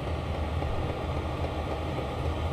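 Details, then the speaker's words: Chinese diesel air heater (Sirocco/Webasto type, Smart Heater) in Opel Vivaro van after warm-up: fan blowing harder, pump ticking more rhythmic, draw falling from 110 W to about 31-46 W; even low hum with soft regular pulsing; normal running. "यह थोड़ा जोर से हवा देना शुरू कर देता है, दूसरा डैश भी सक्रिय हो जाता है, बकबक अधिक लयबद्ध हो गई है और खपत कम होने लगती है,"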